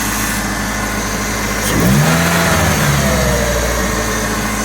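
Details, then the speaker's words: 40-year-old Ford Capri turbo back running after 15 months off the road: even idle with one clean throttle blip that rises and settles smoothly, no knocks or misses; healthy engine revving. "But it is running well."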